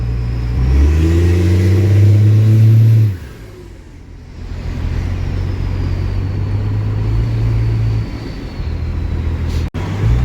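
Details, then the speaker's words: Truck "Otis" on the road, engine pulling deep under acceleration and climbing, then a sharp drop at the shift near three seconds into a smooth, even drone with the torque converter locked; engine and driveline sound very healthy. "Like, Otis runs very, very, like, very well. It's a very healthy running engine."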